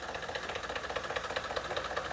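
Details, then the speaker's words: Ford F-150 with 5.0L Coyote V8 (stated as both 2020 and 2024): steady sharp knock at idle, about five raps a second, almost diesel-like, matching a technical note on light knocking at idle described as a quiet diesel. "sounds like a knock almost sounds like a diesel"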